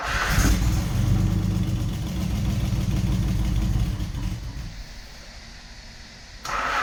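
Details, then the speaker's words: 1988 Nissan 300ZX Z31, junkyard VG30E V6 first start after install: catches, revs, settles to lower idle with fast ticking puff over the exhaust; exhaust leak, to be fixed later. "But other than that, I mean, it sounds healthy. It has an exhaust leak, obviously, but that's gonna get taken care of here afterwards."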